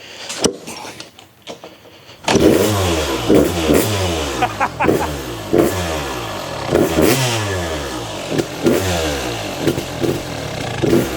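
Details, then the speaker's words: Fully restored Kawasaki KX250 two-stroke, first start after five primes: it fires and crackles with uneven revs rising and falling. The idle screw is way out. Erratic idle. "The idle screw's way out."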